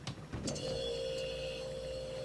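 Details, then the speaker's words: A couple of clicks, then a steady low hum with a clear tone as the compressor of a 16-year-old, once-flooded water cooler starts normally on the first try after a part replacement. "I love that sound oh yes yes oh she's running that's all it took"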